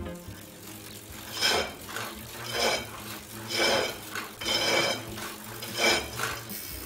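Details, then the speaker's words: Tacx Neo series trainer: metallic scraping clanks about once a second with each pedal stroke from the motor brake. Possibly a problem with the hub axle. Cause suspected, not confirmed. "it's possible that there are metal pieces or dust attached to the magnet in the motor brake"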